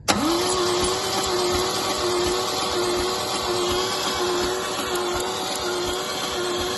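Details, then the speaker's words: MGC 3.0 straight-six garaged about 33 years, cranking on the starter during a compression test: an even whirr with no compression pulses, reading zero compression. The owner suspects patina or sticky valves, and a rusty patina on the valve seats was later found holding the valves open. "Yeah, 0 compression. I think the valves have got a patina on them, or sticky valves or something."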